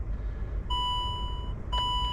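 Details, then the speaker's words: Range Rover Sport L320, an insurance write-off, at startup system check: two clear high chimes about a second apart over a quiet cabin hum, the low washer fluid warning from a faulty washer bottle. "And it comes up with that low washer fluid. And importantly, that means it's illegal to drive on the road."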